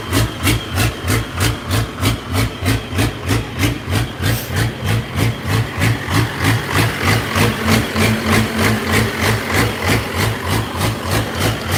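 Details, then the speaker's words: Unmuffled 12-valve diesel from a 1989 W350; idle has a pronounced, regular lope about three surges a second from a leaking injector. "so when you fire it up it kind of it'll open idle just because it's got that a injector issue right now but still working on that"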